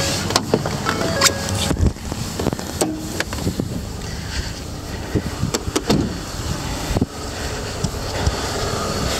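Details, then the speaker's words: 2011 Ford F-150 XLT 4x4, 5.0 L V8, 38,510 km, idling under the open hood: steady, even idle with some handling clatter, smooth and healthy; seller reports an occasional catalytic converter code. "five liter engine you hear it running well i think the truck's been maintained well by sounds of it"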